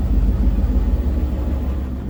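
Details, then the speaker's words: Koenic KWM 8212 A INV inverter washing machine spinning 7 kg load at 1000 rpm: deep smooth drum rumble, slightly pulsing, no rattles or knocks; earlier rattle gone after a few washes. "So, jetzt hört ihr sie schleudern mit 7 kg Wäsche."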